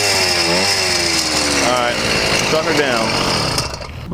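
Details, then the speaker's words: Yamaha YD100 two-stroke with ramped piston, revving once warm: tinny rattle from the top end that only appeared after it heated up; piston striking the head at the two edges, poor squish suspected. "yeah that's a rattle in the top [Music] it didn't make that noise until it heated up"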